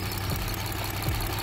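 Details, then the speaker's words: Engine idling with cylinder one's ignition coil unplugged to demonstrate a bad coil: lumpy idle with a steady low thrum that stumbles regularly as one cylinder drops out; dead miss on cylinder one. "let's see if we can I'll demonstrate a bad coil okay so now we have a dead Miss on cylinder one"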